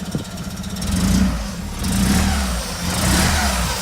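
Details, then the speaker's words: Opel Manta under rebuild, no coolant, needing a new exhaust: rough, raspy blat swelling with each rev, low chuffing following throttle from a leaking exhaust; still running lumpy, smells rich, owner suspects ignition timing. "Still running lumpy on the front. What do you reckon? I mean, it sounds bad because of the exhaust, but"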